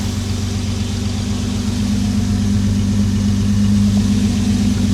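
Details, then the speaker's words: Jaguar XJ6 after a head gasket replacement and camshaft retiming, warming up as the choke turns off. A smooth, even idle with a steady low pulse and no misses, smoother than ever; it usually misses slightly. Finding: normal idle. "It's never been like this smooth at idle. Choke starting to turn off now. That's very, very smooth."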